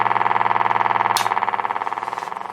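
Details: 1952 Peter Pan GKJ valve radio powered up: steady rapid putt-putt of about fourteen pulses a second throbbing through the hum; motorboating caused by extremely leaky electrolytic filter capacitors.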